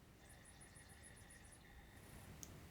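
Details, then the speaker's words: CD player powers on with a CD-R disc inside but struggles to read it: faint, quick high chirps repeating several times a second over a thin steady whine; it eventually reads and plays, and may need an internal clean. "Right. It does power on. Does seem to have a disc in it as well. Yeah, I hear it trying to read"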